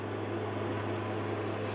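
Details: Carver Fanmaster 12 V hot-air heater fan in a 1996 Swift caravan, after repair following tripping and the fan running only at slow speed: steady low hum with an even airy rush, no knocking or scraping; the motor runs normally but quite hot.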